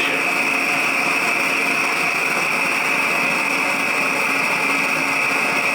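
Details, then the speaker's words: Restored vintage brass pressurized blow torch, filled with gas and pumped up: steady even hissing jet-like roar without sputtering or surging; torch burning cleanly, working normally after restoration. "That's a little better. Sounds like a jet engine."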